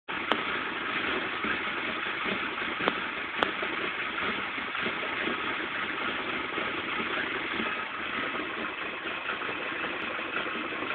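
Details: Nissan KA24DE engine idling with an uneven, unsteady hiss and faint stumbles instead of a smooth even beat; rough idle of unknown cause.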